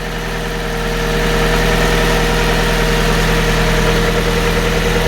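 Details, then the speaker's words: Fiat 500, 67,000 miles, first start after timing belt replacement, no oil for a while, steam from oil residue: smooth, steady idle with even low beat settling after start, no ticking or knocking; engine healthy. "Actually sounds really sweet. It's a bit of steam from, and it's a bit of, you've got to remember there's a lot of oil residue on this car. Sounds good, guys."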